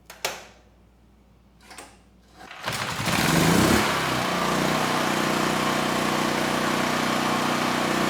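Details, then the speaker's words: Chicago Electric generator model 98838 (no power output) after carburetor cleanout, run on external fuel supply: pull-start tugs, then steady even run without misses or knocks; engine healthy, no-power cause suspected intermittent ground fault in wiring. "we've heard the engine run it sounds good and somehow that car carburetor is actually running the engine well despite what we saw in the tank"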